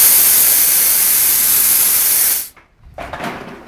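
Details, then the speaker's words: Briggs and Stratton 3hp engine converted to run on compressed air, first run attempt with air connected: loud steady hiss about 2.5 s then cuts off; too much air leaking instead of driving the engine; failed attempt; compressed air leak. "too much of an nail leak around there"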